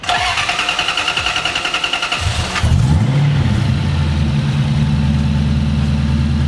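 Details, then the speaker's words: Supercharged drift truck with old supercharger pulley, not run for about a month: fast starter cranking about two seconds, then clean catch into an even steady idle; normal start and idle. "Hasn't ran in like a month and it just fired right up."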